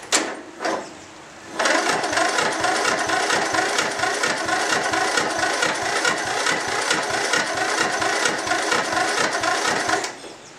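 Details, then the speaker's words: Mower not started for a year, lead-acid battery recovered after 24 hours charging but with one bad cell: starter chugs over about two compression strokes a second for eight seconds without firing; weak cranking, needs jump start. "Well, I think we proved our point, because it would never do that before. This thing hasn't been started for a year, remember. Yeah, I'm going to have to to jump it to start it, but hey, it did crank."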